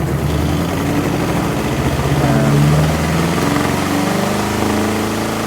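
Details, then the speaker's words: Pyle tiny portable washer on vibration pads under a cutting board, starting a 5-minute spin with warm water and the balance disc fitted: steady motor hum with a rough rumble as the drum winds up, then quieting; normal spin start. "Once it gets going, as you can see, it quiets down quite a bit. So it's a little noisy at first when it first winds up, but I'm going to just show you."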